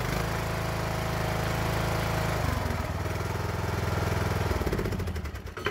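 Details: Craftsman Briggs & Stratton single-cylinder with new carburetor, after intake pipe fix for a sticking choke: settles from a rich, labored start into a quick even beat as the choke releases; runs normally.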